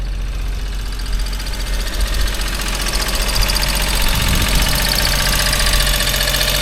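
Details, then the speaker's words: Abandoned three-cylinder Geo Metro LSi convertible, first start after sitting, AC compressor with no belt: a small engine idling slightly rough with a light rapid tick over the hum; noisy top end, cause unknown. "a little noisy"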